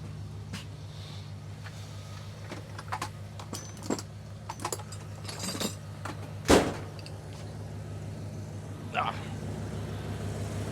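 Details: 1995 GMC after distributor replacement with ignition timing set to 0°: quiet, even low idle under some clicks and handling noise, running clean; normal idle after repair.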